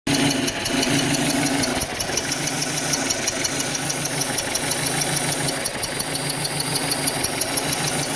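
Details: 2006 Audi 1.8T petrol idling unevenly with recurring stumble and faint ticking, misfiring at idle; engine vibrates when reaching 60 km/h.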